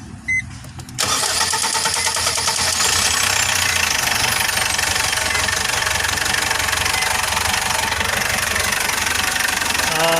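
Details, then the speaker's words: Foton Traveller CRDI diesel after clearing fault codes P0088 (fuel rail pressure too high) and P0254 (injection pump fuel metering control A high): starts and settles into a steady, even idle, knock gone, check engine light no longer on. "Yung tunog ng makina guys, mapansin nyo, iba na. Hindi na, wala na siyang knock."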